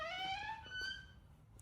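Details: Nissan R34 GTR door: a high creaky squeal rising in pitch, then a shorter second squeak before the door shuts with a thud. Squeaky door.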